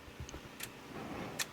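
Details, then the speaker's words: Murray lawn tractor with what is thought to be a 14.5 overhead-valve engine, being revived, battery low. With the key on and the engine not running there are two crisp clicks about a second apart from the fuel solenoid on the carburetor bottom; the solenoid is working. "does click I hear it okay I'm gonna let the battery charge a little bit"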